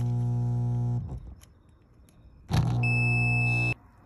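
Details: GE dishwasher GDF530PGM0WW after wash pump cleaned of lint-like debris, now in drain: smooth low motor hum that stops and restarts with a short high beep; drain pump cycling normally, no grinding.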